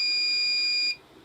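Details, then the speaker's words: Microtek inverter SMD PCB (B4 model), battery connected, switch off, no relay pulse; one steady high-pitched beep that stops when switched on, a fault present. "यह देखिए मैंने battery connect कर दिया यह देखिए beep चन आ रहा है यह देखिए रिले प कोई बल्स नहीं आ रहा है बीप चान आ रहा है"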